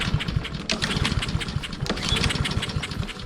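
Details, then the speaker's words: Roadside-salvaged Honda walk-behind lawn mower, pull-start cranking after reseating the spark plug cap; rapid uneven clatter, never catches; no-start. "So, still nothing, but it was worth a shot."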